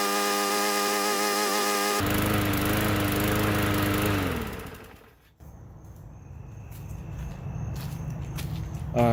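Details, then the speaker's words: Bolens mower bought as a non-runner, after cleaning and refitting the top cover; runs a few seconds with uneven beat, then sags and dies, same problem as before, dirty carburetor needing proper cleaning. "she's still doing the same problem she's a bummer yeah i was expecting her to work good but explain to me how you want this to run if you do not clean it right i don't know"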